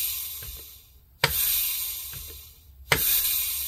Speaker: and that's just the noise you hear that's leakage past the seal rings once you get transmission fluid and get everything up to Temp and they're spinning and un seated in that won't happen so normal stuff